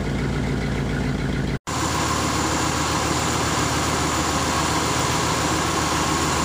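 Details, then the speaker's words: 1966 Ford Thunderbird engine, not run in many years, idle turned down during rpm and vacuum check: smooth, steady idle rumble with no knocks or stumbles, though idle still hunts slightly up and down; sounds healthy. "all right with the idle down she sounds a whole lot better i'm still having the finicky with it it wants to go up a little bit come down a little bit but it hasn't been run in many years so it still sounds good"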